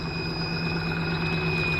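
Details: 1955 Willys wagon with a temporary Holley carburetor fitted, running better: thin, steady high-pitched whine over a low, even engine rumble. Possibly a leak around the carburetor area.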